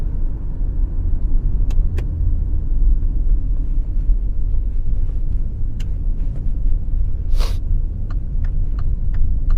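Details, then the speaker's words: Hyundai on the road while turning the steering: sharp creaks and clicks over low road rumble, heard from the underside/rear; also a noise when braking slowly at low speed. "Tant que la direction est frappée, le fond commence à sonner"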